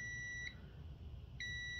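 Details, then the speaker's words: Lawn tractor 5-prong ignition switch tested with key off, multimeter probes on the G (ground) and M (magneto) terminals: a steady high-pitched continuity beep sounds twice, clean and unbroken, so those contacts work properly. "and you'll hear the beep which says those two are um functioning properly"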